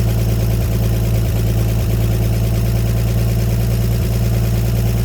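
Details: 1954 Chevrolet 150 found in snow, idling after first start with the coil jumped and jumper cables on the battery: steady low rumble with an even, smooth beat, about three pulses a second, running cleanly until it ran out of gas.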